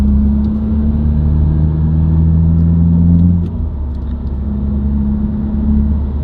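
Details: Subaru WRX, recorded inside the cabin while cruising: steady low hum with drone on top, separate from engine, rising with road speed, unaffected by revs, gear or clutch. Dealer-diagnosed broken centre-diff viscous coupler, recorded before repair.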